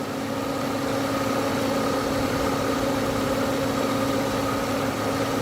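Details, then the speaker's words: 1996 Ford Mustang during AC service, with a connector from a 94 temporarily spliced in, after about 3 cans of refrigerant and no leaks: steady idle, fan kicks in, then a faint tone as the compressor engages; runs smoothly with no rattle. "And all of a sudden you hear the fan kick in. And we now see the compressor kick in."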